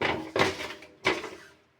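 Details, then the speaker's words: Samsung washer-dryer drum turning with heavy hollow thumps about every 0.7 seconds; the drum spider (three-legged horizontal shaft support) has broken, causing knocking, so stop the machine immediately. "O tripé dela partiu, se rompeu. É um eixo horizontal com três pernas."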